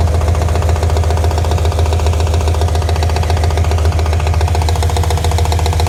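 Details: Mirotekniк RX7 rotary at a steady run with a hard, fairly regular knock about three or four times a second; engine knock, cause still unknown.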